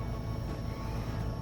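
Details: Opel Corsa D 1.4 petrol, after a no-start caused by a silent fuel pump, now idling following fuel pump replacement: quiet, low, even engine hum with no stumble, ticking or pump whine; runs smoothly and sounds healthy.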